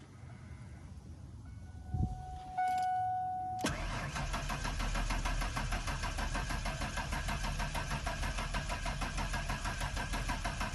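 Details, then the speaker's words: 1992 Ford Ranger XLT, 243,000 miles, after swapping in an 86-98 Mustang fuel pump, now plugged in: some clicks and a short whir, then the engine catches and settles into a steady, even idle; normal cranking and start. "i guess it was the pump and i guess this pump is just really quiet so we got the ranger back"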